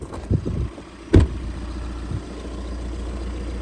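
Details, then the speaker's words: High-mileage budget overlander, first turn of the key: a couple of starter thumps, then a low, even idle with no dual-mass flywheel rattle or knock; engine sounds healthy. "It just sounds like exactly how it should. Normally you get dual mass flywheel rattle or whatever it might be."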